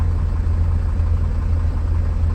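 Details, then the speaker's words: 1999 Mercedes Vario 612D truck, 12V air compressor after fitting a new pressure switch (12 bar cut-out): a steady low, even rumble under the engine note as the compressor cuts in normally once the handbrake is cycled. "I'm just going to cycle the handbrake a few times to make sure it cuts in. So compressor's cut in."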